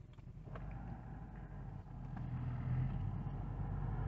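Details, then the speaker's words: Infiniti M45 V8 with aftermarket aluminum engine undertray: steady low drone at about 900 rpm idle that swells as revs rise with AC on; undertray contacting the body causes vibration drone, even putting engine in limp mode. "The vibrations ruin an otherwise refined vehicle. I know these vehicles are not supposed to sound like this."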